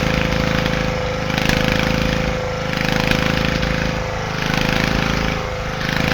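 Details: Petter AC1 single-cylinder diesel on a Kango generator, probably late 1970s, idle for years outdoors, started near freezing: a steady chugging beat with a slow rhythmic swell as the engine keeps itself running. Diesel engine running.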